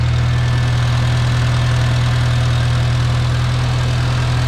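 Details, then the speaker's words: Farmall Cub tractor after installing a new carburetor and in-line fuel filter: strong, even low chugging at steady idle, about three beats a second, no misses or smoke; runs cleanly without needing choke, unlike with the old carburetor. "oh he's turning man that sounds good wow it wouldn't even run right with the other carburetor unless I sat there and played with the choke lever she's not smoking or anything"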